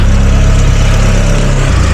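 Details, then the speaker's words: Cheap UK GTI petrol engine idling after a jump start with a loud, rough low rumble and chuffing edge; exhaust leak, to be found by spraying soapy water. "so as you hear there's definitely an exhaust leak so let's get our soapy water let's get a torch so that we can see and let's start spraying"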